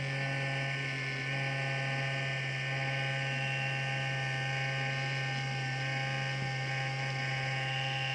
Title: M15 r3 fan. bad bearings?